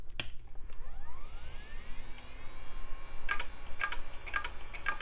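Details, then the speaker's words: Sacrificial hard drive powered from the Packard Bell Legend 300SX's regular AT power supply on a 5-minute test; faint steady hum with light seek ticks, no grinding; normal hard drive operation. "Doing just fine so far."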